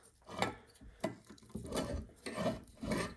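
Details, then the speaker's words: 2000 Honda CR125R two-stroke, crankcase split during rebuild; gritty, rasping grinding in uneven bursts as a crankcase bearing is spun by hand. The bearing is bad. "hear that grinding sound that bearing is bad that bearing is bad"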